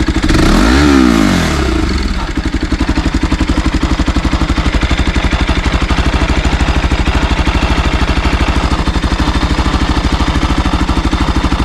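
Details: Bajaj NS200 at 12,000 km with an engine noise problem. After a quick rev it settles to idle, and a fast, busy metallic ticking clatter rides on every beat. Something sounds loose inside; the cause is unclear.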